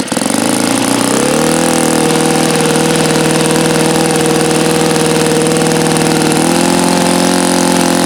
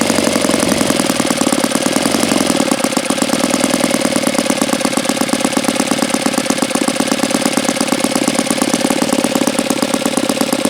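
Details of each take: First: Saito FA-82a four-stroke model engine, very low time: high steady drone with pitch stepping up and sagging, not settling at top revs; unstable near peak RPM, so break-in running followed with full throttle, alternately richening and leaning. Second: Saito FA-82a four-stroke model engine, low hours and not fully broken in: crisp, rapid, even popping with a smooth exhaust note; idles very well; normal idle.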